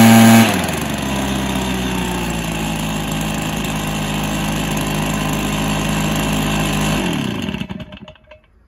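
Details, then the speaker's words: Stihl BR430 backpack blower two-stroke after its bogging was fixed: a buzzy, steady high rev that drops cleanly when the throttle is released. It starts, runs and revs out well. "that's a good result it starts and runs well and revs out well so yeah I played for that"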